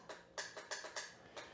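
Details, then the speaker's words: 1982 Honda GL1100 Goldwing, sat over 12 years, starter button pressed: about six sharp separate clicks in under two seconds with no starter whir; solenoid clicks but starter motor doesn't turn; brushes suspected, not confirmed. "But no starter motor. The good news is the starter isn't trying to work and not working. It's just not working at all."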